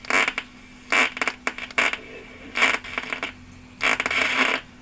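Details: 1976 Lloyds Monteverdi stereo: sharp, irregular crackling static bursts occur only on AM while tuning, and FM is fine; the owner suspects the tuning capacitor, and a lightning storm was ongoing. AM tuning static crackle.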